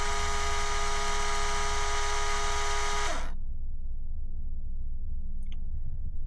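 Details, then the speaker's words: TD5 Land Rover Defender with the ignition off, parasitic battery drain: a steady whirring electrical buzz, suspected to be the radio's CD drive, ends in a brief falling spin-down. The draw is about 0.1 A and drops when the radio is disconnected; not confirmed. "You can hear that is buzzing away. That sounds like that's a CD"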